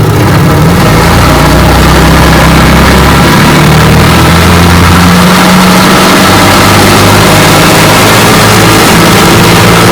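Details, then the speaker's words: 1959 Evinrude Golden Jubilee 18 HP twin outboard, fully rebuilt down to gear case, seals, impeller and carburetor, on bayou test run: steady, even drone with no misses, knocks or rattles, cooling fine; normal running under way. "Alright, got her out here on the bayou, and she runs just fine. She's cooling."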